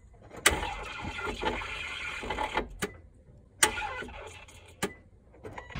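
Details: Nissan 350Z that won't start, phone recording of the fault: sharp clunk on each key turn, brief weak whirr, engine never catches. Battery tested good and cranking voltage was fine, so the failed starter was replaced.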